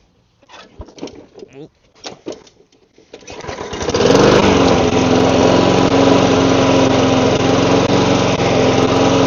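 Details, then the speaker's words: Lawn mower after its carburetor was cleaned and the primer bulb refitted, with no air filter yet. It catches after a few pulls and settles into a steady, even drone with no stumbling or surging. Normal running. "Alright, I guess that's going to be the end of this video. Just needed the carb cleaned."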